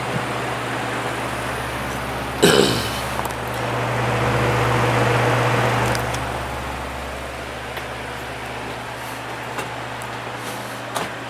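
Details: Patton U2-1272 12-inch fan with 1.3 A rated motor on low: steady low mains hum with even air rush, no rattle or scrape; runs smoothly, drawing 0.74 A and 60 W.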